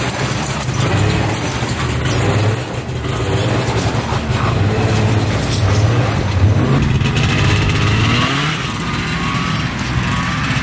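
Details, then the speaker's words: Arctic Cat Panther 440cc snowmobile, bought as no-spark non-runner, on test drive after fix: revs up and settles smoothly under load, even firing with no popping or cutting out, still smoking; running really good. "she's running good running really good still smoking"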